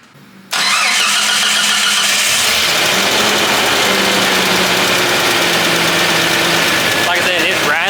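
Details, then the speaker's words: Truck engine with lifters spacered up and loose rockers, done to test the owner's theory (cylinders 1 and 6 suspected): it cranks, catches and idles with loud top-end chatter; runs about 85–90%, plugs blackened, smoking. "I've got everything spacered up where it's just rattling like crazy but the truck runs I'd say 90% 85%"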